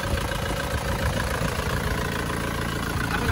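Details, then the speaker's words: Isuzu Panther pickup diesel, warm after a test drive following liner and ring replacement: steady, even idle with no puffing, and no blow-by smoke at dipstick or oil filler; repair cured, normal idle. "Oke, sudah sembuh. Enggak ada asat. Normal ya."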